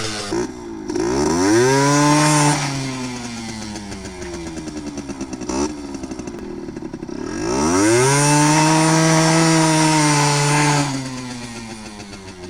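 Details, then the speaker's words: Yamaha RX50 50cc two-stroke barn find on top speed run climbing hills, after leaning a too-rich mixture: clean wail climbing smoothly through revs, dropping off and pulling again without stumbling; more power, running healthy. "now it finally feels like it's running better now definitely more power oh yeah it was definitely too rich"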